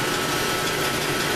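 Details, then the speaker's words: 9-inch bandsaw, modified for larger cuts, idling with no cutting on the stock half-inch blade. A steady, even whir with a faint thin tone and no knocks or rubbing; relatively quiet and running fine. "i'm just going to show you how it runs not as bad as a planar though"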